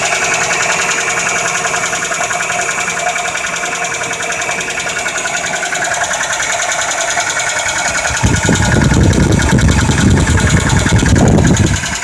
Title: Nissan 90 pickup engine knocking